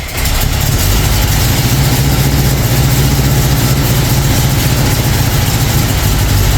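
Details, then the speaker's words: Newly built 445 FE V8 in a 1962 Ford Galaxie, first fire-up on 30-weight break-in oil; catches quickly and settles into a deep, steady, even rumble with no knocks or misses: normal running. "make sure you have fuel where it needs to be prime the engine get it going and there's that moment where you just got to turn the key and let it fly and see how it happens"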